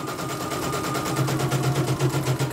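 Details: Embroidery machine sent in for repeated jamming and skipping bobbin-case hook, dynamo found dragging; test run after service: quick, even stitching about nine strokes a second, no catching or grinding; head running smoothly.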